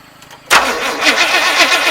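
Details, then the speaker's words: 1974 Chevrolet 3/4-ton pickup, sat for years, new ignition except coil, fuel poured into carburetor; owner doubts the timing, turned too far: engine catches with a ragged, uneven roar that never settles into a clean idle. "That didn't sound good."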